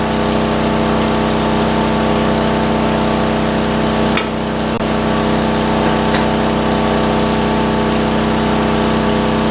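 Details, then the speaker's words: Roughly 40-year-old (1977 or 78) Lincoln Weldanpower 150 genset welder welding at 120 amps: steady, even, strong constant-pitch drone holding speed smoothly under heavy load with no hunting or knocking. "Does pretty well at 120. It's pretty nasty."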